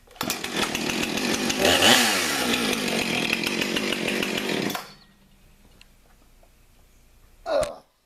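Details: Stihl MS 291 Farm Boss or Husqvarna 455 Farm Tough firewood chainsaw with 20-inch bar: strong, steady high-revving note that holds clean and even under throttle, then cuts off; saw runs healthy.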